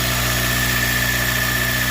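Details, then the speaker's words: RSX K-series with new fuel return system, DeatschWerks pump and regulator, K-Tune rail, fuel pressure holding 46 psi; smooth even idle with faint steady fuel pump whine, no misses, knocks or leaks; engine sounds healthy, normal idle. "all right so as you can hear it's running as you can tell nothing is leaking here nothing is leaking down there"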